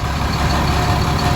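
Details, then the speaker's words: Caterpillar 3126B diesel, 92,000 miles, in a 2000 Holiday Rambler Endeavor RV, idling while warming up after oil pump and bearing replacement. Steady low rumble with no knocks; a clanging heard is the mud flap rattling against the exhaust, harmless. "Well, she's running great. You might hear that clanging sound and wonder what's going on, and I wondered that too."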